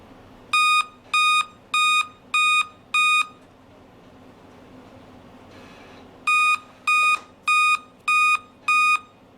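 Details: Dell laptop giving a repeating five-beep error code at power-on, pointing to a failed CMOS battery.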